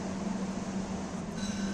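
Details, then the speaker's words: Window AC after servicing (evaporator and condenser coils water-cleaned, air filter refitted): compressor cuts in and runs smoothly, a steady low electrical hum under the fan's airflow; cooling has started, normal compressor operation. "Compressor पण start झालेला आहे आणि cooling पण सुरुवात झालेली आहे."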